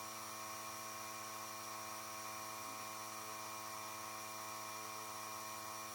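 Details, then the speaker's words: Small compressor blowing air through an unheated Panoramic RV's water lines during winterization, after pressure dropped as the system drained; quiet steady motor hum, unwavering whirring tone, normal running while the side shower is opened. "donc pendant que le compresseur continue à pousser de l'air on va venir ouvrir la douchette sur le côté"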